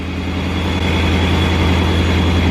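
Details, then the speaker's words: 2019 Mustang GT V8 with a new ProCharger P1X Stage 2, first start on the base tune, cold and warming up, with oil burning off where the valve covers were removed. A deep, even idle with a steady supercharger whine and no knocks or misses; running well. "Other than that, everything's good. Fired right up, running really good."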